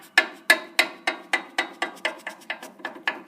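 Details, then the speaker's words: 1968 Sears hydro engine, head off after valve regap, piston rocked by hand at top dead center: sharp hollow uneven clacks; owner suspects piston looseness causes the ticking noise, cylinder may need honing, unconfirmed. "So, alright guys, and if this ain't the ticking, clicking, whatever noise, I'm going to assume it's this piston. Let's see, the top dead center, she rocks a little bit."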